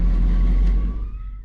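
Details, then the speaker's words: 1977 Chevrolet 4x4 small-block Chevy, hot-wired 12V to the distributor and crank wire, fired right up; deep, even rumble with a faint steady tone, no knocks or misses. Normal running. "of course to turn it off you got to disconnect that and kill the power that sucker fired right up this thing started better than half the stuff I own"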